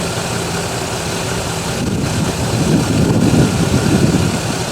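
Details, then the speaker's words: Buick V6 started cold after sitting about two months, thermostat not yet open: rough, gravelly whirring racket at idle from worn alternator bearings. "i hear the noisy bearings and the alternator"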